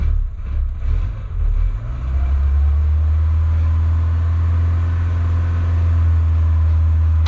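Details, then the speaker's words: Peugeot 205 Turbo on 100% ethanol, turbo of unknown condition, oil pressure 4 bar, revved without coolant before shutdown: a deep steady drone with no engine knock. The noise comes from the gearbox. "la boîte qui fait ce bruit. Donc là, vu qu'il n'y a pas d'eau, je vais couper."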